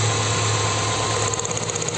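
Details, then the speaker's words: Dodge Neon with vibration, power loss and a blowing exhaust: idle stays steady with no change when cylinder 1's plug lead is pulled, so that cylinder isn't firing; low compression from leaking exhaust valves. "notando El sonido del motor en el cilindro 1 al desconectar el cable sacar el cable no se escuchaba variación y eso me decía que el problema estaba ahí"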